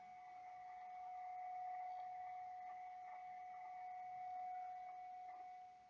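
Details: MCHF transceiver TX IQ balance calibration, monitored on an ICOM receiver on opposite sideband: steady thin whistle around 700 Hz over faint hiss, leakage from unwanted sideband due to IQ imbalance, adjusted until the tone is gone.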